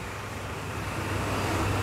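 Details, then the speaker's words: Honda Air Blade 110 fuel-injected scooter, fuel pump pressure checked fine: low steady drone swells only slightly when opened, stalls under hard throttle; hesitation and power loss on throttle. "đây mình cũng đổ thử luôn để cho anh em thấy là cái mức độ xe này nó bị rất là hụt gas"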